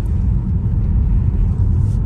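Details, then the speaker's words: Tesla Model 3 Performance, electric, cruising in Edinburgh, recorded in the cabin: steady low road rumble with no motor note on top; tyre rolling roar comes through into the cabin, otherwise quiet. "może teraz pomyślicie że jestem wybredny ale wyraźnie słyszę toczące się opony także wyraźnie ten dźwięk toczących się opon przedostaje się do samochodu"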